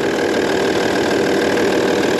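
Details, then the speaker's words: 2002 Audi A6 Avant Quattro 2.5 TDI V6 diesel, starting on a freshly charged battery. A rough start, then steady even tractor-like diesel clatter at idle with no knocks or grinding; rough diesel idle. "Oh, I didn't think she was going to go then. That is a rough start for sure."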